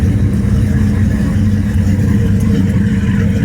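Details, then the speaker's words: Rampage boat, likely the port engine running after the starboard no-start was fixed with a new battery and wiring repairs: smooth, even low rumble with no knocks or misses; healthy. "that sounds good so I'm going to say we found the problem and solved it"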